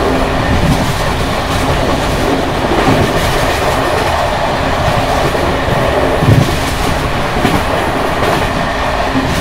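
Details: Bd264 passenger coach built 1979 with worn Görlitz V bogies at speed on uneven track 190 between Hluboká nad Vltavou and Číčenice: loud constant rattling and clattering as the brake rigging bounces.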